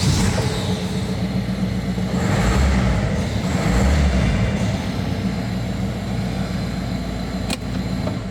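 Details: Peugeot 1.6 HDi diesel after repairing a crank-no-start fault with an aftermarket part and clearing the trouble codes: deep, steady rumble, even with no misses, knocks or hunting; runs smoothly with no codes.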